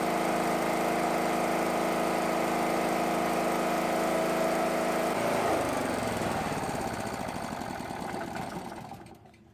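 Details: Small petrol generator, unused about 5 years, converted to propane fed from the bottle, with speed set at the bottle valve: steady even drone at constant speed for about five seconds, then winds down.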